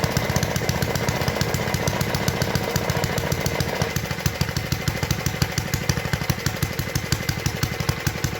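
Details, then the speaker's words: 1952 Clinton VS-700 mower engine after the clogged fuel line was cleared, running at idle with no air filter: crisp, evenly spaced single-cylinder pops with no misses or stumbles; healthy, smooth running. "anyway as you can tell she was pretty good at idle"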